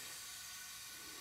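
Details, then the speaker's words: Smoking Briggs & Stratton engine on John Deere zero-turn mower, leak-down test at 30 psi: only a faint, steady hiss, a little air from the intake; cylinder holds pressure within range, minimal leakage. "you see this thing's holding pretty good i see very minimal leakage at 30 psi"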